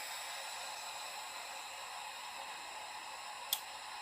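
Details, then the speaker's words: Oil-lubricated Apollo dental air compressor (single-head Copeland) turned off with purge tank at about 40 psi: soft steady airy hiss as the purge tank backfeeds air through the desiccant dryer to regenerate it until the gauge reads 0; normal. "I'm going to go ahead and turn it off, and then I'm going to see that air is going to bleed out. And it's going to make noise until that gauge reads 0."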